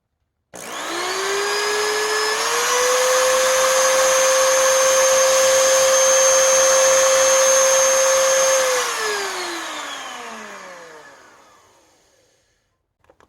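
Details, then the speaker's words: 20-year-old Oreck XL2800 vacuum motor after bearing repack and carbon brush seating with a seating stone: it spins up to a steady, clean whine, holds evenly, then winds down smoothly with no rattle or grind. Normal motor run. "that is nice and smooth and keep in mind most of this motor is still 20 years old"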